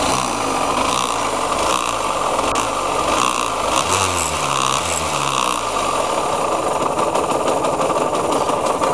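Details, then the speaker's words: KMX two-stroke motorcycle engine, before restoration: idling with a gritty rumbling rattle under the exhaust buzz that follows engine speed; owner says bearing noise; engine bearing noise. "Bruit de roulement."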